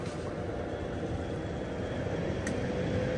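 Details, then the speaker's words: Bryant 90% furnace inducer after re-running flue pipe with proper pitch to drain trapped condensate; pressure switch previously not closing: steady even fan hum, no gurgling or bubbling; normal inducer operation after repair. "well I don't hear the bubbly noise no more yeah so this whole pipe is full of water"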